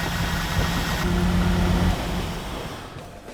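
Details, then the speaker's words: 2001 Firebird Ram Air, stored a long time, fluids checked, first start attempt: runs rough with an uneven stumbling beat, then dies; suspected clogged injectors, plan to replace the injectors and fuel filter. "it sounds like it's got a couple bad clogged injectors so we'll change the fuel injectors and we'll change the fuel filter and she'll probably run just fine then"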